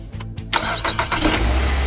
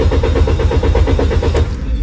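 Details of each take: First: Car that would not start despite a replaced throttle valve and checked spark plugs and ignition coils, after the repair: short crank, then it catches at once and settles into a steady, even run; starts cleanly. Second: Car cranks evenly at about four pulses a second but never catches. The throttle valve had been replaced and the spark plugs, ignition coils and oil lines checked without a fix.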